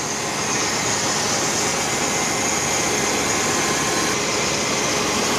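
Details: Chevy 350 Vortec Suburban, sat for years, after new cap, rotor and full ignition and fuel system: smooth, steady idle with airy hum, no misses, knocks or stumbles; running properly.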